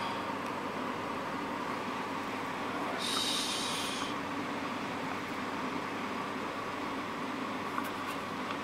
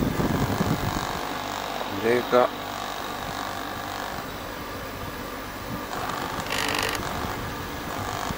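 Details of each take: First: Corona CD-6311 dehumidifier after cleaning mold from the fan and fixing a vibrating internal part in place: steady, even hum with a faint constant tone and no rattle or buzzing; running smoothly. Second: Corona CD-6311 dehumidifier after disassembly and cleaning of a moldy fan: a steady low fan hum with an uneven buzzing chatter. A loose internal part was vibrating against the housing and was then secured.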